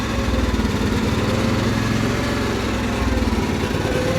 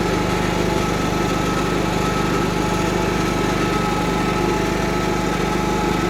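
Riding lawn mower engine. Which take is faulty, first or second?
first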